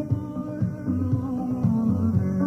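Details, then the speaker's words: Sony CFS-715S cassette player, deck A, with the old playback head refitted for comparison: music muffled and flat, top end gone, faint hiss underneath; worn tape head, later replaced. "Tôi vừa gắn cái cũ vào cho các bạn nghe âm thanh thử xem này. Đấy, nghe chán không? Loa đây. Nghe rất là chán"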